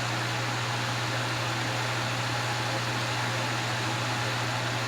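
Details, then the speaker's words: Vintage Wizard hassock fan on high speed, fitted with a motor salvaged from a Mainstays box fan to replace its burnt motor. A smooth, steady low hum under an even rush of air, quiet with no vibration or rattle; normal running. "It's very quiet. There's no vibration, which is a good thing."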